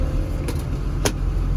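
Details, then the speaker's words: KBR 925 transmission with the customer's complaint of only 2nd and 4th gears. After a wire was grounded to the ground lug, the drive propels quickly in first, then second, fourth and third, with a steady low diesel drone under load and a few light clicks. Normal propel. "and in first gear we have have Propel and it's it's quick like it's supposed to be let's try second gear fourth gear third"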